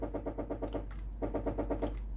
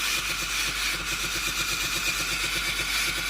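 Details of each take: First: Philips GC7051 pump-type steam iron with no steam, hotplate hot and ready light steady: steam button pressed, the pump buzzes in quick pulsing bursts, roughly eight a second, but no steam hiss follows; water hose faulty. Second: Philips GC7051 pump-type steam iron after replacing the clogged water hose: hotplate hot, steam button pressed, a fast even buzzing rattle from the small water pump with a steady hiss of steam, stopping cleanly; normal pump operation restored.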